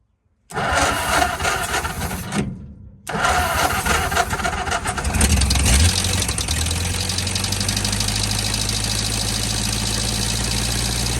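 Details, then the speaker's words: 1949 Ford F-5 flathead V8 truck sitting over 50 years, throttle held open, warming before switching to gasoline: cranks, catches, stumbles, restarts, then uneven lumpy run while compression picks up, smoking; rough running, low compression. "well she run she don't run too bad she started picking up some compression there she kicked out all that nasty stuff I put down in"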